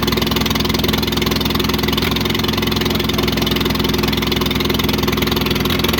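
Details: Antique International Harvester McCormick 64 pull-type combine engine, just started after purchase, has oil pressure: steady, even idle at about three firing beats a second, no knocks or misses; normal idle.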